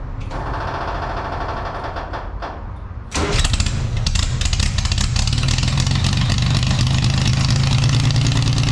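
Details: Scratch-built Jaguar D-Type replica with a homemade exhaust, recorded without its built-in silencers: the engine catches after about three seconds, then gives a loud, crackling, sharp-edged bark at idle. Fitting the silencers removes the cracking.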